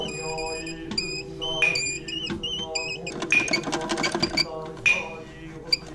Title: Whistling toilet problem fixed. squeaky toilet whinning toilet no more.